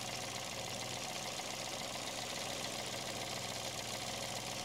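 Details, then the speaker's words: Peugeot 107 idling, electric radiator fan powered directly via power probe on its blue positive wire: steady rushing airflow over quiet idle, even with no rattle or scraping; fan spins freely, normal operation. "I just press the power I touch it and press the power on electric fan kicks in can you hear that you can see everything blowing in there"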